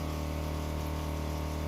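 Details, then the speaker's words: Water heater in a converted vehicle, after disassembly and reassembly, cause of earlier failure unknown: steady low hum with even flowing-water rush, no popping; water at 70°, steaming hot, running normally. "l'eau est bouillante donc on va la mitiger mais bon ça fonctionne très bien voilà là je l'ai arrêté donc je suis bien content c'est fonctionnel"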